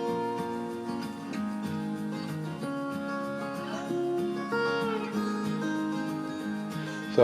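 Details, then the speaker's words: Pioneer CT-F500 cassette deck after repair, playing music: held notes stay steady in pitch, no wow, flutter, wobble or slipping-belt tone change; transport plays evenly, ready to cover. "with the instruments being used on this cut you would probably hear if this had some wow and flutter issues and i don't hear anything"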